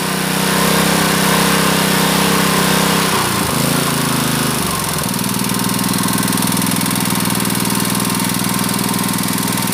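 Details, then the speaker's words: Honda GX160 5.5 hp water pump engine, unused about a year, black-fouling spark plug cleaned and retested; runs steadily, briefly dips and recovers as governor adjusts speed, then settles evenly: normal running. "The 'dut' sound is so It indicates that the governor is still functioning So it's a function the governor is like that He adjusts the engine speed as needed"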